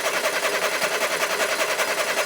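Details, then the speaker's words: 1990s one-owner French hot hatch barn find, cranked with HT leads refitted and ignition on, hoping the fuel pump runs: even starter cranking, about eight pulses a second, with no firing or catch. It won't start; checking a plug for spark is one option. "No. Right. Okay, so two choices. I could take a plug out and check for a spark."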